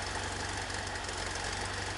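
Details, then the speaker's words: 1973 VW Super Beetle, 1745cc engine, Mofoco 041 heads, hydraulic lifters, Dellorto FRD 34 carbs jetted for 1415cc: idles too high at about 1,400 rpm, fast and lumpy, not running cleanly; left-hand carburetor suspected (blocked passage found). "if you can see that it's idling at about 1,400 rpm which is just way too stinking high"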